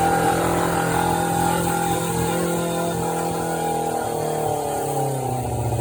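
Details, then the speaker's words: 1993 Suzuki GSX600F, carburetor problem, started on a jump starter after reassembly: fast, uneven idle hanging too high, then sagging lower. "thank you either was too high so let's just settle down let's switch the battery"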